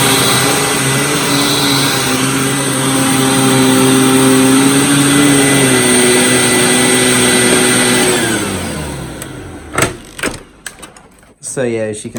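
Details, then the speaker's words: Hoover WindTunnel Supreme U5468-900 upright vacuum before refurbishment, on carpet: steady high motor whine with aggressive brush roll hum, then winds down; normal running, though power switch is finicky. "as you can see uh Grooms the carpet very well and you'd hear that brush roller is very aggressive"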